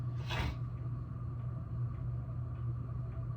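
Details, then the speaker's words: 1987 SMC Laguna (KB36) ceiling fan, 38 years of near-constant running, on medium speed: a steady low droning rumble with a rough, even hum; it runs smooth but is noisy from worn bearings. "We'll go ahead and kick it up to medium here. You can really hear the bearing now. It's smooth, it's just noisy."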